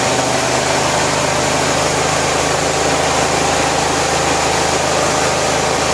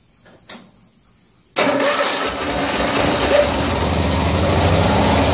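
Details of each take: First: 1974 Cushman Truckster after a wiring fix and a cold start with a pressurised fuel tank: a steady, even idle with a smooth, unchanging beat and no knocks or misses, running normally. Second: 1974 Cushman Truckster cold start after a wiring fix, with the fuel tank pressurised by air compressor: the engine catches and runs lumpily, but the fuel pump still isn't pumping fuel into the filter, a fuel starvation problem.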